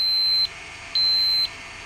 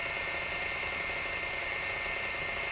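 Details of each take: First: Sharp PC-4500/PC-4521 laptop hard drive at power-on; steady high beep repeating about half a second on, half off; heads lock and won't release, arm stuck so drive cannot spin up; drive faulty. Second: Sharp PC-4500/PC-4521 laptop hard drive on first boot after bending away the arm-locking mechanism that had kept the heads stuck: a steady high, thin whine under faint mechanical chatter as the drive spins up and runs normally.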